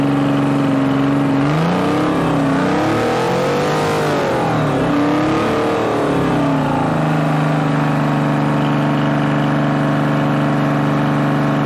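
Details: Bantam C350 crawler crane, believed to have a Detroit 3-53 two-stroke diesel, parked about 20 years; even, steady drone with a brief pitch swell midway, then settling back smooth on all three cylinders. Normal idle.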